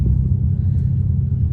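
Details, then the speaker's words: 2008 BMW 335i (E92) under acceleration: a heavy, uneven low thumping rumble from right under the car. Suspected worn driveshaft carrier bearing, not confirmed. "You hear that? Coming from right under here. Under acceleration."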